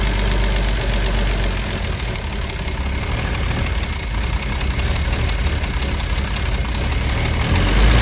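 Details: Mercedes W114 280CE with starter fluid sprayed: uneven, lumpy idle with irregular low knocks and a wavering beat instead of a smooth run; rough idle, cause suspected, not confirmed.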